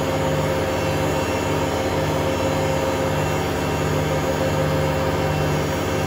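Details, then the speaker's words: Hotpoint Aquarius WMA32 washing machine on a test spin: smooth at first, then a heavy, continuous roar at full spin; owner suspects broken drum bearings or a broken spider, and says it also needs a new motor. "at the moment it does sound quite smooth surprisingly but obviously when this gets into spin it will get quite loud"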